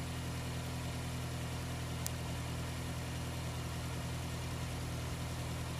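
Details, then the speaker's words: 2003 Honda City i-DSI after replacing the belt tensioner pulley bearing, torqued to 44 Nm, engine idling with A/C compressor on: smooth, even idle, belt not flapping, no noise; previously noisy whenever the A/C compressor ran. "ครับนิ่งสายพานก็ไม่เต้นมากนะครับกำลังใช้ได้นะครับเมื่อเปิดคอมแอร์แล้วก็นิ่งครับเงียบ"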